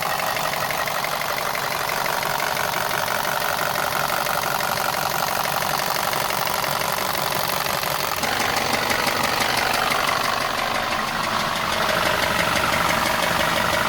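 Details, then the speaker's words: VW Passat 1.8 TSI running with a hard, regular knock about three per second. It shows 29 engine fault codes, including cylinder knock above threshold. Cracked flywheel or timing chain tensioner were considered, but a failed rod bearing was confirmed. "It does sound like a very pronounced rod bearing knock, but in my experience, I've seen flywheels being cracked and timing chain tensioners causing this very similar knock."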